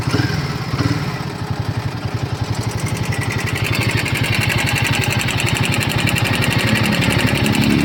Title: Himalayan 450 Engine Noise Issue | 12000 km | Irritating Engine Noise #himalayan450 #royalenfield